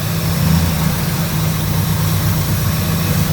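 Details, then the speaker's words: 1977 Lincoln Mark V V8 idling, not charging, during a cylinder balance test: pulling one plug wire makes the engine stumble and drop RPM, showing that cylinder is firing; owner believes the misfire is not spark related. "So, did you hear the engine stumble? Listen again. Hear it drop in RPM? That one's firing."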